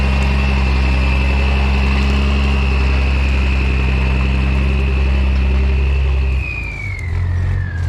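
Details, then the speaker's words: M35A2 military diesel truck, started right up after sitting long (a disconnected wire found): steady diesel drone, revs drop away cleanly, no knocks or misses; runs really good, everything works, clean; normal idle and revving. "pretty sweet this is a nice one this thing runs really good everything works just works on it and it's clean awesome"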